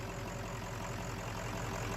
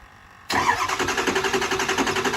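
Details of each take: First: Kill Devil 600HP 6.0 Powerstroke crate diesel in a Ford Excursion, first start after replacing a shorted main engine harness: a steady, even diesel clatter at idle with a regular low beat and no misses or knocks; a normal idle. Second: Kill Devil Diesel 600HP 6.0 Powerstroke crate engine in a Ford Excursion build with Twisted Diesel Level 3 transmission: steady starter cranking at about four compressions a second that never fires. It cranks with no start and zero injector control pressure; they question the oil level.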